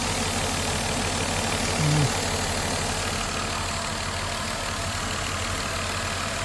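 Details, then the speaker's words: 2000 Mercury Sable idling during warm-up, in for an alternator not charging: constant airy hiss over low engine hum, heard best toward the back of the intake; possible vacuum leak, though plastic intakes can sound noisy, so it is unconfirmed pending a smoke test. "it sounds like a vacuum leak in this thing. I mean, at least to me it sounds like it's got a hiss, but I know these plastic intakes sometimes could be a little on the noisy side and sound like a vacuum leak."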